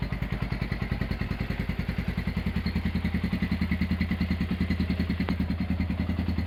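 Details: Honda GL100 (GLK 100) engine from Palembang after restoration, with CDI installed, a new tensioner blade and idle raised: an even, regular low thump of about three to four beats a second, no clatter or knock. Healthy idle.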